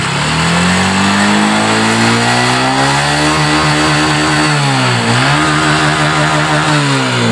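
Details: Honda Supra X 125 fuel-injected motorcycle that stumbled on throttle and wouldn't electric-start; after wiring repair, kick-started despite a weak battery, it has a steady even idle and clean, smooth revs; normal idle and revving.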